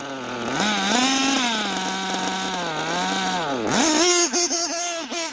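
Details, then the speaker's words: OPS Speedster Power .21 nitro engine being leaned for max power: shrill revs up and down, lazy off the bottom but singing cleanly at the top without lean bogging, so low-end response is poor. "she's revving you can hear that bottom acting like a prick but the top is good and it's not lean bogging"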